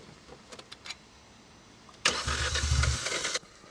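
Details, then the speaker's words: 2016 Hyundai i20 that had been sitting, cranked at full throttle: a few faint clicks, then a ragged burst of firing that dies after about a second; it's trying hard to run, and an injector is to be pulled for inspection. "yeah yeah it's trying hard to run isn't it"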